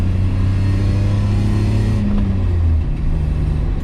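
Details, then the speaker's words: BMW E34 535i (straight six, manual) on its first drive, with a smooth, deep rumble rising evenly under acceleration. It has a custom straight-pipe-like exhaust that is not loud and sounds healthy with no rasp or drone. "that custom exhaust yeah that's one thing i haven't showed you guys this car's got like a wacky like straight pipe like exhaust um but it's not loud"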